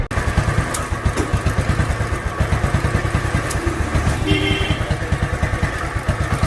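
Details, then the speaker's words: 2017 Royal Enfield Bullet Classic BS4 at idle after a battery change: thumping single-cylinder beat with uneven, skipping pulses and a "chik-chik" sound; misfire, carburetor clamp suspected, not confirmed. "Carburettor ആയിരിക്കും ഒരു sound ചിക്ക് ചിക്രു sound. ചിക്ക് ചിക്നൊരു sound. അത് എന്താണെന്ന് അറിയില്ല."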